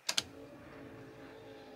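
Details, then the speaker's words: Land Rover TD5 after swapping the faulty fuel pump relay for a similar Ford relay. Ignition on gives two relay clicks, then a faint, steady in-tank pump hum; the fuel pump runs normally. "yep I don't know whether you can hear it but the pump's running with the ignition switch as simple as that"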